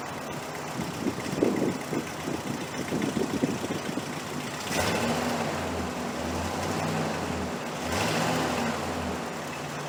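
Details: 1968 Chrysler 300 with a 440 V8 and a replacement used carburetor, after a loose spark plug wire was reconnected. An even idle with no stumble, then two clean throttle blips. It runs better now on all 8 cylinders: normal idle.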